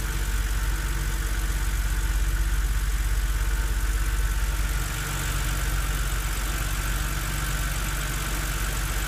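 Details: BMW Z4 3.0si at cold idle after start: loud fairly even knock over low hum, disappearing after about 15 minutes of driving; cold-start engine knock, source unknown.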